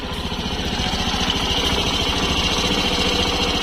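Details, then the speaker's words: Suzuki Burgman Street EX 125 scooter, hot idle after an adjustment that cut a loud clicking noise; quick, even beat around three and a half per second with only a light top-end tick; normal idle. "Menurut saya, sekarang sudah oke, sama seperti sepeda motor otomatis standar. Suaranya seperti ini."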